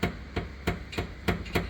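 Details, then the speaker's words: Mazda RX-7 being rebuilt, front end rocked back and forth by hand: sharp dry clicks about three a second, clunking heard from the right side when turning; owner suspects the collapsed, broken steering boot. "you can hear that clicking noise. It was a lot louder in the car, but I'm pretty sure that is that uh that steering boot there."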